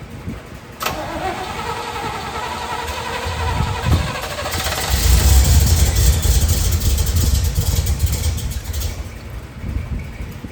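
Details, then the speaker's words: 1972 Corvette small-block V8, second start attempt after rebuild, reprimed, initial timing roughly set, throttle worked: engine fires and runs lumpy and uneven; timing judged way late, so it is shut off and a timing light is planned. "Go ahead. We're way late on our timing. Turn it off."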